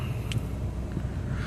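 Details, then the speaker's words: Maruti Suzuki WagonR idling with AC on first setting and compressor engaged, tachometer needle just above 1000 rpm, petrol low; steady slightly raised idle hum with little wind, no knocks or squeal, running fine. "നമ്മൾ ഫസ്റ്റിലേക്ക് ഇടുമ്പോൾ ഒരു sound ഉണ്ടാവും. ഇത് already ഫസ്റ്റിലിട്ടിരിക്കുകയാണ്. Compressor working"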